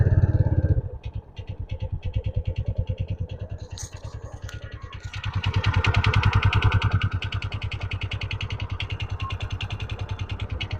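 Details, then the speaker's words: TVS Ntorq 125 BS6 scooter at idle: steady heavy thak-thak knock about three and a half per second that sounds like piston noise but is not; cause is a loose one-way starter clutch nut. "दोस्तों आप लोग सुन सकते हैं इसमें आवाज बहुत खराब आ रहा है ठक ठक ठक ठक ठक ठक की आवाज आ रहा है ऐसा लग रहा है कि इसमें पिस्टन का आवाज है पर पिस्टन का आवाज नहीं है"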